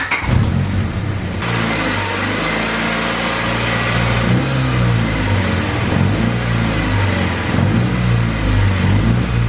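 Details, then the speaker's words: LS-swapped Chevy S10 at start-up, after topping off oil and brake fluid: lumpy idle with a thin steady high squeak from the belt drive; owner first suspected the power steering pump, then identifies the disengaged AC clutch squeaking. "It's the AC clutch. That's the reason why the sound just started, because I've been using air conditioning on this thing, and the last few times I've driven it, I haven't used the air conditioning because it hasn't been hot."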